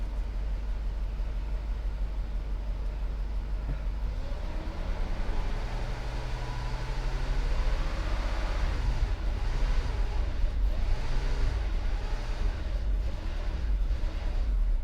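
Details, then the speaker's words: Mercedes 560SEC, restarted after fuel pump relay and OVP relay work: engine catches with a deep, uneven rumble that surges and sags, never settling to steady idle; rough running and stalling, suspected fuel delivery issue. "you know what I think I think I think we have a fuel delivery issue"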